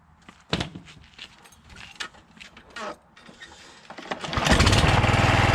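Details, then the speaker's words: John Deere JX75 walk-behind mower after drive cable and clutch lever replacement, restarted with the spark plug refitted. Handling clatter, then the single-cylinder engine catches and settles into a steady, even run at about four beats a second. Normal running. "Alright, she worky. Awesome."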